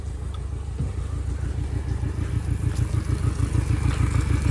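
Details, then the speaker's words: Yamaha 60 hp outboard on a Bay Craft 17'5 skiff, first start with new controls, steering cable not hooked up, shifted into gear and back to neutral: even, steady low burble about three pulses a second, no knocks or misses; idling cleanly. "Sounds like she's running good to me, brother."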